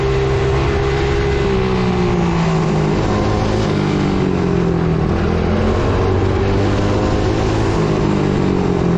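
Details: Coolster 110cc quad sat two years, tank had magnetic residue, while riding: small engine holds high revs, pitch wandering, never dropping to idle; throttle stuck open, part found apparently not screwed on properly, rider fears debris sucked into engine.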